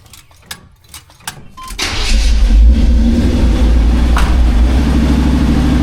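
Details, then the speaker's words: 1985 Chevy C10, cammed, new Holley 4160 600 CFM carb after the electric choke was turned toward the front to open quicker: cold start catches first try and goes straight to a steady, even fast idle. "So, it sounds like it went to the fast idle right away."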